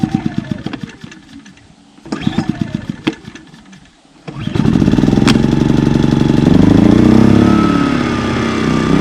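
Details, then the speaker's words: Small Duromax 2000 W inverter generator trying to start a Coleman Mach 15k BTU rooftop AC on a 2004 Winnebago Minnie, baseline before the EasyStart 364 soft starter is installed: light putter, then the load slams on and the engine bogs and labors. It is instantly overloaded. "all right you can see so that instantly overloaded it instantly overloaded the generator trying to start the air conditioner so the goal is to make sure that does not happen"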